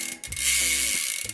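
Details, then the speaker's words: Mountain bike rear freehub after cleaning the chain, drivetrain and cassette: quick, even pawl ticking as the wheel spins and coasts down, no grinding or scraping; spinning freely as it should. "make sure it's freely spinning it sounds like it should so we'll give it a few cranks and see what it does"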